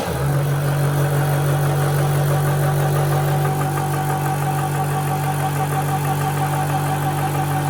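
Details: AC/DC air compressor: loud steady buzzing drone with low hum and even pulse near three per second, no knocks or rattles; normal running.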